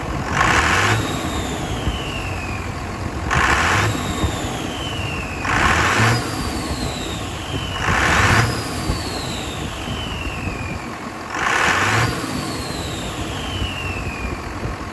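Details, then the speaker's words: Dodge RAM 2500 Cummins turbo diesel, after turbo center-shaft replacement (was leaking oil with shaft play): repeated revs, whistle climbing then spooling down; turbo spins freely, building more boost than before. "Building a lot more boost than it was. You can already hear it."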